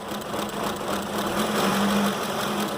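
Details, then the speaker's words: 2005 Ford Expedition 5.4L V8 (fitted with a 2008 engine), coils and injectors already replaced: rough, uneven chuffing over a steady hum at idle. Cylinders 7 and 8 show no firing signal; two dead cylinders causing the misfire. "vamos a mirar este cilindro está trabajando el uno está trabajando el 3 está trabajando hay un espacio nos falta el 7 el 7 no hay señal de vida"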